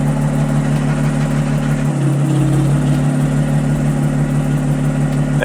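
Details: 2010 Audi S4 after new coils, spark plugs and valve cover gaskets, check engine light off: steady, even idle with a smooth low hum, no stumble; the misfire is fixed.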